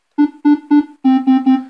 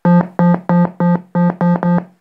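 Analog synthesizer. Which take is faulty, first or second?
second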